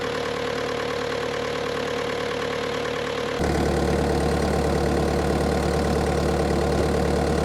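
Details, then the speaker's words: Bobcat T300 diesel: steady, even idle settling into a deeper, heavier drone partway through, no knocking or stumbling; normal idle. "Y'all listen at that puppy run."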